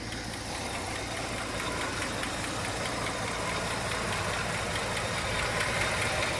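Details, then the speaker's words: 1967 Chevrolet Chevelle Malibu with original 250 inline-six, idling slightly too slow: light quick ticking over a slow, uneven idle, going away just off idle; owner suspects a couple of lifters not always pumping up. "not sure if you can hear that little kick now off idle now it's idling a little bit too slow right now i'll give it that but just off idle that tick goes away but then even sometimes it the ticks are a little bit louder sometimes the lifters there's a couple of them that just don't always like to pump up"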